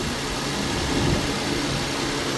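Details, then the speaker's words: Infiniti G37 right after galley gasket job, first cold start: steady even idle at slightly raised cold-start speed, no knocks or ticks; no faults, no leaks, running fine. "So, all right, let's crank it. Oh, fuck. Shit, here we go. It fucking cranked, bro. It's running fine."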